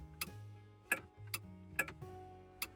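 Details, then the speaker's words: Toyota Previa blower low- and high-speed relays: sharp clicks about every half second with no fan motor spinning; the relays work but power isn't reaching the fan. Owner suspects a chewed wire under the dash. "and it's clicking on and then for the high speeed it's clicking on so they're working it's just the power isn't getting to where it's supposed to go"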